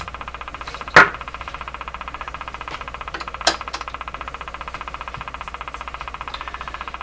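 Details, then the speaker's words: General Electric KL-70 AM/SW radio with a non-working broadcast band, suspected wrong capacitors. Fast, even ticking pulses through the speaker hiss with a few louder pops, its pace changing with the tuning capacitor plates. It is outside electrical interference, not the radio. "listen to the ticking it's slow down what what is it what is it but that's the strangest thing this is not just that it's noise it's that this ticking changes pace"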